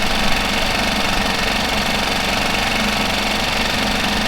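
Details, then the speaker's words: Mercury 5 hp four-stroke outboard idling steadily with even busy clatter, no misses, after a fuel pump replacement meant to cure loud ticking after submersion; the decibel meter showed a slight drop. Normal idle. "so i think that job is done as you can see it looked like it did drop it down some decibels"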